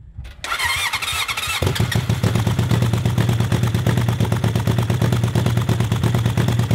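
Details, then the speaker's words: Honda CB750-engined cross kart running: uneven stumbling beat at idle, pulses not landing evenly, caused by a bad spark plug arcing across the insulator instead of the gap; replacing plugs restored full power; misfire from faulty spark plug. "oh yeah we got a bad spark plug here it wasn't jumping the gap it was actually sparking between the uh insulator in there which is going to be a problem"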